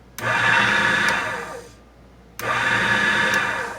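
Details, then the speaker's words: ITL key code machine after power supply rebuild with new capacitors: motor whirs to full speed the instant power comes on, cuts out, then spins up again uncommanded; owner suspects a bad chip on the computer board. "if you notice when I turn it on the motors kicking right on so this chip might be bad"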